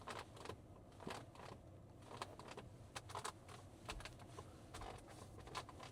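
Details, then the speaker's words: 2026 Leapmotor B10 electric SUV, 67.1 kWh: sharp plastic clicks and creaks when leaning on the centre armrest over the storage bin in a quiet cabin; creaking armrest trim. "Ça fait du bruit, c'est pas terrible."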